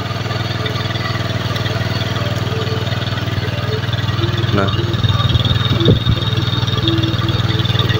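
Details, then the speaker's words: Honda BeAT carburetor scooter the owner says uses far too much fuel, idling with RPM set too high; revs swell and drop instead of holding steady; hunting idle, possible causes torn ACV membrane, vacuum rubber, faulty auto choke or valve settings. "Terus kalau kita dengar dari suaranya saja ini kayaknya memang benar ini memang benar boros ini ya karena RPM ini kayak ngayun-ngayun ya gak mau"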